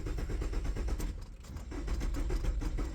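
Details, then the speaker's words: 2002–2006 Nissan Altima during fuel pump replacement, 15 amp fuel pump fuse pulled to relieve fuel pressure, cranked 2–3 times: steady rapid chugging starter cranking with no catch; turns over but won't fire. "All right, you get in here and you're gonna crank it. Do that 2 or 3 times."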